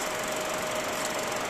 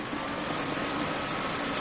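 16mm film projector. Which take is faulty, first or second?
second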